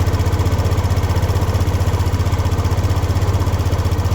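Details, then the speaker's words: Racing 150 single-cylinder idle after tightening the timing chain tensioner (tightens counterclockwise): the helicopter-like engine noise is gone, steady even pulsing with no top-end rattle, though the tensioner turns on its own and no longer locks. "so Ayun nawala na yung tunog helicopter pero pag masta nating mabuti Naikot siya ng kanya lang hindi na nagla-lock yung tensioner"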